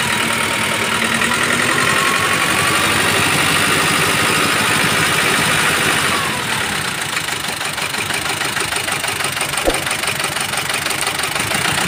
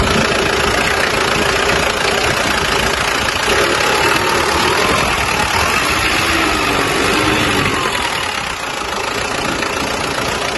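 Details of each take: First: Mazda BT-50 diesel with rough running, cabin-wide vibration and no power: harsh, uneven clatter at idle with a loose rhythmic knocking; turbo removed during diagnosis, cause found to be a broken camshaft. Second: Mazda BT-50 diesel after turbo repair and grounding the vacuum solenoid valve directly to the body to fix a weak negative: steady, even idle clatter, no misses or surging, no longer stalling; normal idle.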